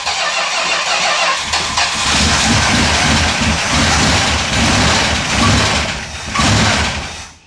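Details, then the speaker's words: Normal start and idle of a 1969 Plymouth Road Runner V8 after decades of sitting, driven only 500 miles since 1977 and not driven since 1978: cranks, catches quickly, strong even idle with clean throttle swells; healthy start. "That sounded good. Yeah, that sounded good."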